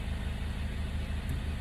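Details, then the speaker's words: 2009 Acura TSX after misfire repair, idling in gear (drive) with load on the torque converter: low, regular pulsing idle with a steady beat, no sputter or missing pops; all cylinders now firing smoothly where one previously dropped out. "can right we're back to wiring all perfectly not having that that rough little jutter"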